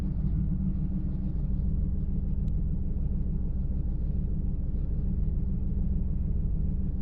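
Deep V8 idle with a lumpy, uneven beat, a stumble roughly twice a second instead of a smooth run, typical of a misfire.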